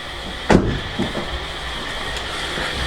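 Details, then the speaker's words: Audi TT, key in ignition then removed, engine not started: after a door thunk a steady whirring fan note keeps running with the key out; cooling fans run on, suspected failed regulator. "see the fan runs yeah can you hear them starting up key out"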